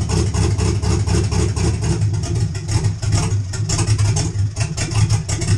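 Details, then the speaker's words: 1951 GMC pickup with 4.8 LS V8, BTR NSR cam, FiTech intake, 799 heads, no exhaust, stock computer: idle surges and dips, firing beat stumbling every second, barely running without throttle; owner suspects the factory computer cannot cope, needs more idle fuel. "okay so you heard it die at the end there that should give you a really good example of what I'm talking about without any throttle it just Falls flat in its face"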